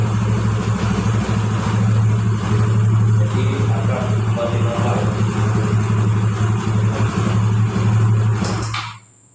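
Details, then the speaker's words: Xeon scooter after cleaning the fuel injector, which had caused it to stall at idle without throttle: steady even idle about four pulses a second with no throttle, then shuts off cleanly; idle back to normal. "Kembali normal. Kita coba sekali lagi teman-teman. Saya tidak gas teman-temannya, tidak saya gas. Jadi rangsam kembali normal ketika injektor dibersihkan."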